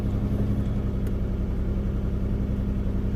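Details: Engine first started after new lower intake gaskets, still losing coolant and smoking, with a little smoke out the back: deep, uneven, shaky idle pulsing a few times a second with no steady rhythm. Rough idle, later traced to blown head gaskets.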